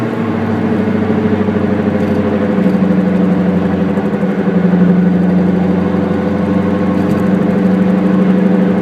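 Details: Car wheel hub bearing noise while driving: steady low droning "go-go-go" hum with a faint pulsing rumble that follows road speed, easiest to hear during deceleration in the latter part; worn hub bearing.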